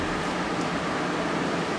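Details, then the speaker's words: Portable air conditioner used 3 years in a tuckshop beside a deep fryer, just cleaned of grease and on its first test run with the water tank in; fan on high with the compressor not yet on. Steady, even rush of air, no rattles, ticks or scraping: normal fan running on high. "Fan's on high at the moment."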